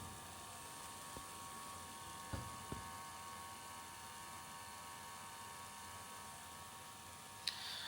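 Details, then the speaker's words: 15-inch 2011 MacBook Pro with microphone held close: steady thin whirring whine with several fixed tones from a failing cooling fan; fixed by replacing the fan. "Hello guys, today I'm going to show you how to solve the problem with MacBook Pro weird noise problem."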